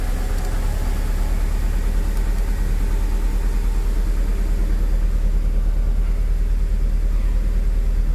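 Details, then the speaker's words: Mitsubishi Cedia 4G15 GDI, started cold: deep, uneven idle with a lumpy pulse a little over twice a second, no clean rhythm; mechanic suspects a dead cylinder, not confirmed. "probablemente hay un cilindro que no trabaja vamos a ver qué cilindro"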